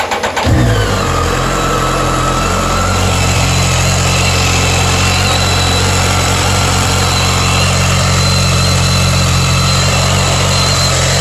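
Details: BMW K1300S motorcycle fires and settles to a steady idle with a thin, high-pitched whine over it; owner asks if normal; screech source not pinned down.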